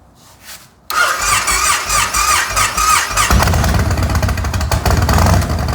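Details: Yamaha Raider V-twin motorcycle after gas tank removal, air filter and spark plug change: brief starter whine, then it catches at once and settles into a steady, lumpy idle; normal start and idle.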